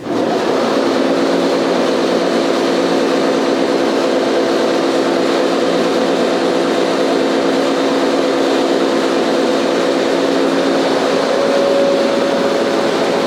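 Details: Staiger H15-30 30 hp horizontal grinder with new 15 ft conveyor, started up: steady, even hum with constant mid tone, no knocking or grinding; very quiet, slight rattle from the safety door.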